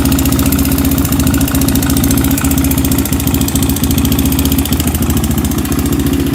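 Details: Honda 400EX single-cylinder quad before top-end rebuild, bought with no airbox, oil found bone dry then topped off and smoked badly: fast light top-end ticking, three to four a second, over lumpy idle; owner suspects oil starvation, cause unconfirmed.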